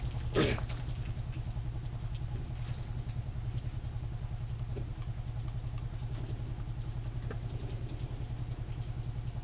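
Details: Honda TMX125 motorcycle after stator coil fix, new valves, new pushrod and cleaned cylinder to cure a no-start and backfire: small single ticks at a soft, steady idle, no popping or backfire; engine sounds healthy.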